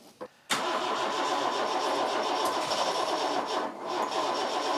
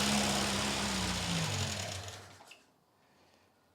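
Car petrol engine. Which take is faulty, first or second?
first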